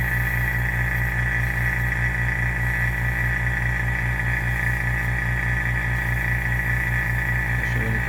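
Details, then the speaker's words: Cylinder head bench test with a vacuum pump on the intake port, pulling only about 20 mmHg and dropping quickly: steady hiss at the valve over the pump drone, a significant leak past the intake valves. "It's interesting, if I come by the valve, you can hear it hissing."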